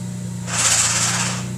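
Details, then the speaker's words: 2015 Ford Focus ST with a Getrag six-speed manual: a harsh grind lasting about a second as the clutch is let out in second gear, while the other gears are fine. A synchro or gear fault is suspected. "out. If you couldn't hear that, that is the gears grinding. Second gear is no bueno."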